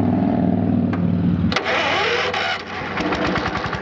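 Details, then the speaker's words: Massey Ferguson 14 riding mower with hydrostatic transmission: slow labored cranking, then catches and runs rough; always hard to crank, blamed on a side-draft carburetor that works poorly. "It has a hard time cranking sometimes. Okay, all the time, but it's got a side draft carburetor that don't work too good."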